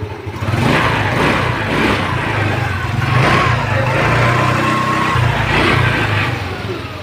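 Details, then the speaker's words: TVS Wego scooter after a wiring repair, started via the self-start: the small single-cylinder engine runs smoothly and swells evenly with each throttle blip, no misses or knocks; healthy running. "দেখুন দেখুন গাড়ি এবার start হয়ে গেছে। দেখুন গাড়ি পুরো start."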